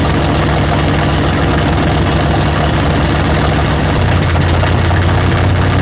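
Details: Big-block V8 after tunnel ram swap, first fire-up with coolant added, timing not yet set: lights right up into loud, deep, steady cammy idle with no misses or knocks; normal idle.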